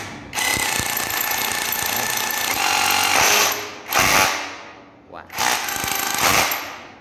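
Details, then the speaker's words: Mini cordless brushless 2-mode rotary hammer drill on Makita 18V battery, just reassembled with some screws still loose, hammer mode: sharp rapid even hammering with steady motor whine in bursts; running healthy. "Nghe tiếng đã, nghe tiếng quá phê luôn. Máy này mua 900.000, quá xịn sò đúng không?"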